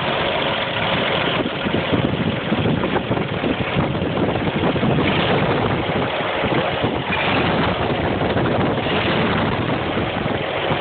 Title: CCKW engine knock